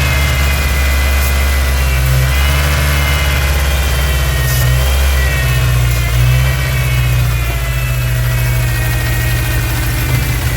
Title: massive vacuum leak on '99 Ford ranger 2.5 July 6, 2024